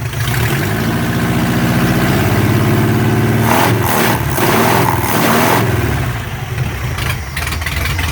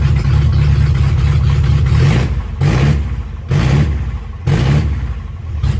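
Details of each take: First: Chevy LUV 4x4 carbureted engine, dead cold with no choke: engine climbs smoothly through a few blips and settles back to an even idle with no stumble; revs cleanly. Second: Chevy LUV 4x4 truck revival, carbureted engine first fired dead cold with no choke after carb work: idles rough, surging and sagging about once a second but holds idle.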